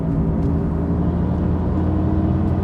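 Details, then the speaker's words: Car driving, heard in the cabin: steady low droning hum, the growl of a worn wheel bearing. "don't know if you guys can hear that, but that wheel bearing is like, it's not great. Not the most enjoyable thing to listen to."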